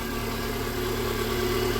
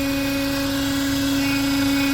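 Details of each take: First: Renault Duster Oroch after repairing a strange engine noise by replacing a faulty valve (third, non-original homologated part): smooth, even idle with steady low drone, no ticking or whistling; engine sounds normal again. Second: Renault Duster Oroch, 54,484 km, idling with an intake manifold vibrating and a steady mid-pitched whistle that changes when the PCV line is pulled, confirming a fault in the crankcase ventilation (PCV valve) system.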